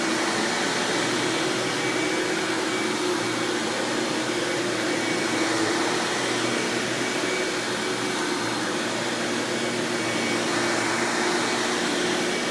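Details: 1997 Hoover Dirt Finder Power Drive self-propelled upright vacuum, model U6331-930, Elite style, running: even, airy motor roar with faint steady tone, no belt flapping or grinding; runs exceptionally smooth and surprisingly quiet, normal running.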